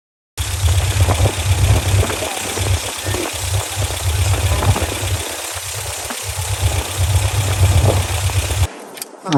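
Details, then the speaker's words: 1987 Toyota pickup 22R four-cylinder, carbureted, after fixing vacuum leaks and replacing the fuel pump, while setting timing at 950 rpm idle: steady low warm rumble with an even beat and no knock or miss. "well she is running much better"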